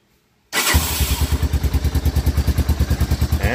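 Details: 1985 Honda Fourtrax 250 that wouldn't start, fixed by reassembling the start button contactor and spring: catches immediately on the button press and settles into an even quick thump of about eight beats a second; starts and runs normally.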